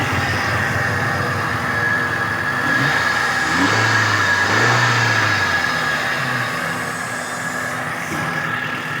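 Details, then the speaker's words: Suzuki Cultus EFI petrol engine running with a steady metallic whine and rattle from the front belt area, like metal striking metal; cause was a worn adjuster/tensioner bearing, replaced with a new bearing. "इसका कोई bearing आवाज कर रहा है वो अभी check करते हैं कौन सा बेरिंग आवाज कर रहा है"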